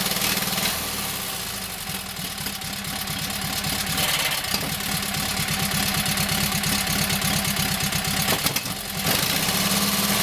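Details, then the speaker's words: Kohler KT17 twin, first start after governor rebuild: settles into even, steady idle with quick regular beat, no knocks or misses. Oil pressure 50, governor works, timing good; carburetor needs tweaking, plugs doubtful. "Runs nice. Governor seems to work, wants to pull the throttle back. Timing sounds good."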